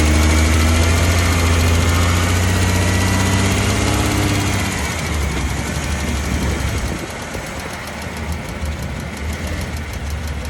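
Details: Dodge Caravan / Chrysler Town & Country, phone taped next to the exhaust flex pipe after the catalytic converter while driving: rough, gritty grinding pulsing about four times a second under the running engine from the worn flex pipe.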